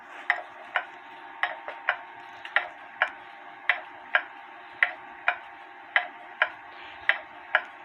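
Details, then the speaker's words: H.Th. Mylius German regulator wall clock, possibly 1920s/30s, movement out after the clock fell and the pendulum came off; with pendulum refitted, ticks about once a second, nearly even but slightly uneven spacing; slightly out of beat, adjusted. "you start listening for the even Tick Tock that's not right to me so I'm going to uh adjust it some"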